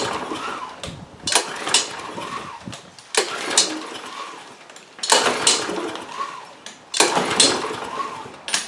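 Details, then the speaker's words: Troy-Bilt TB360 mower, Briggs & Stratton Quantum engine unused for 3 years, on fresh non-ethanol fuel: repeated pulls spin it over good compression but it never fires; cranks but won't start. "And indeed, we gave it enough chances to start. It doesn't want to."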